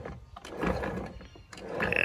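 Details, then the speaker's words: Honda Element manual transmission, 260,000 miles, removed and turned by hand: uneven gritty rocky grinding, sounds full of rocks; worn gears/bearings from oil starvation after gear oil leaked into bell housing past seals and torn boot. "all that oil i think is supposed to be on the inside of the gearbox and it's not sounds awful doesn't it"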